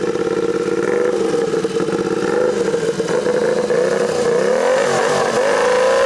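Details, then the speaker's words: Royal Enfield-based special with turbo and R6 front end/brakes, warmed up, free-revving after idle with backfires: steady whistle climbing with revs over the blips, a brutal, beastly sound; normal turbo whistle. "Il y a une forme de bruit, ça fait un peu peur quand même, une espèce de brutalité, de bestialité dans les sifflements."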